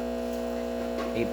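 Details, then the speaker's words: Breville Barista Express espresso machine after full service, test shot: steady even electric pump hum without surges or rattles as pressure climbs to about 11 bar on the gauge; pump healthy. "Again, we're gonna test it one more time, just so we can see that espresso range go up."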